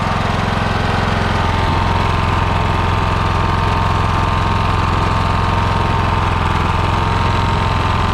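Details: Lawn mower small single-cylinder engine, started after carburetor work with fuel turned back on and the bowl refilled: steady, even low thump at constant speed with no hunting or misfire.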